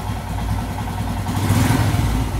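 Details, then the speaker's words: Royal Enfield Himalayan single-cylinder after throttle position sensor checked and adjusted to about 5.5–5.6: even thump at idle, revs rise cleanly with no hesitation or popping; perfect, smooth idle, whereas a badly set sensor gives erratic idle and hiccups. "let's try and start the bike [Music] and there you go you see that perfect ITIL just singing in harmony you"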